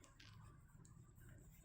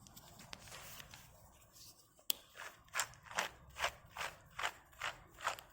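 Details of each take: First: Porsche Boxster 986 rear wheel bearing: a brand-new bearing spun by hand turns quietly with only a soft low hum, a big difference from the noisy old one. Smooth, quiet wheel bearing. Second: Porsche Boxster 986 rear wheel bearing, old one pressed out and spun by hand: gritty, rasping bursts about twice a second, much noisier than a brand new bearing.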